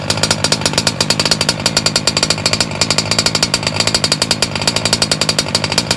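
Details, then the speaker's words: Engine with idle brought up, nice and fat: a fast, rattling buzz with slightly uneven, burbly pulses, running rich but holding speed steadily. "Don't worry, let it stall. We're gonna bring the idle up. It's nice and fat. That's how we like it."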